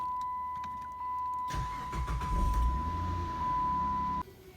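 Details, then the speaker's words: 2005-2010 Chrysler 300 first start after spark plug replacement and intake manifold reinstalled: starter whirs briefly, then engine catches cleanly into a steady, even run with no misfire or knock. "So now I'm gonna try to start it and see what it does."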